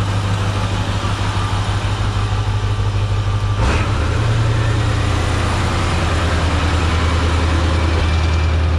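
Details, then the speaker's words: Diesel truck just after its first start following a Stage 1 build, on high idle to warm up before a drive: loud, steady low drumming at raised revs, even apart from one brief knock. A clean high idle. "I'm gonna go ahead ahead and put it on high idle for a little bit before we go and take it on the drive."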